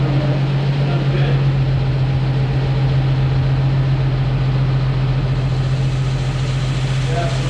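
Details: Jeep YJ after frame-body reunification and rebuild, distributor turned 180 degrees after no-spark first start attempts; steady low hum at idle with even beat, no knocks or misfires; normal idle.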